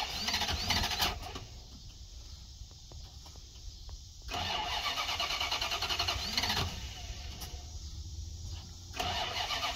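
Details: 1990 Dodge Ramcharger 2WD, sat in a junkyard since about 2014, new battery, after a small engine fire: starter churns in long bursts with pauses, never fires; owner suspects no fuel from the fuel pump and bad old gas.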